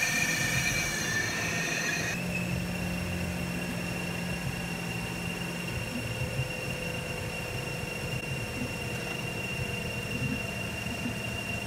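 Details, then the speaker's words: Mazda RX-8 during coolant flush, cap open, engine still cool and warming at idle: thin, steady high-pitched squeal from something spinning at the front; owner unsure of source, thinks it comes from the coolant. Cause unconfirmed. "I don't know what that sound is. Sounds like it's coming from the water"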